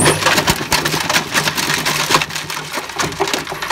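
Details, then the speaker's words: Sole 20584.418 universal motor (17000 rpm) from a Hoover HNL2126 washing machine, bench-wired for maximum speed after a dud plug fuse was replaced. A harsh, uneven rattling grind over a high-speed whine. The motor bearings are worn out. "Oh dear, that sounds absolutely terrible."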